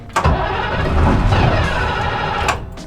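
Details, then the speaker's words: International school bus (skoolie) diesel: brief cranking, then the engine catches and settles into a low, steady idle rumble; normal cold start and idle. "Different? That sounds like a cold start. Yeah. All right, so you can probably hear it, but we got the bus to start."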